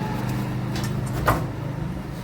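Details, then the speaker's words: Royal Enfield Bullet main stand after fitting a new rubber buffer (oiled, hammered in) to replace a cut one: steady single-cylinder idle, stand lowered with one soft dull thump, the earlier clanking noise is gone. "जो आवाज आ रही थी वो खत्म हो चुकी है"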